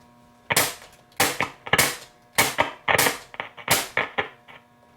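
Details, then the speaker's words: Grundig Satellit Transistor 5000 on shortwave: irregular sharp crackles and pops about once a second over a quiet hiss; band buttons suspected to need cleaning, cause unconfirmed. "You hear it kind of like crackling. So yeah, I need to try to take the chassis out to clean those, but let's see, let's go up to shortwave 3."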